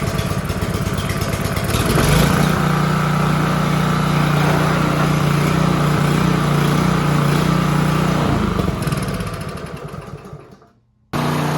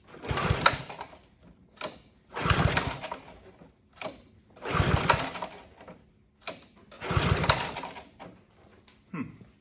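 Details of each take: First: Free Honda HRB215 push mower, stored for years and not running, after reassembly: steady, even single-cylinder drone without hunting or misfire, then winding down; runs great. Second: Honda HRB215 push mower stored for years, on choke with starting fluid before carb cleaning: short bursts of uneven firing that rise and die every couple of seconds, never settling; fuel starvation from plugged carburettor main jet.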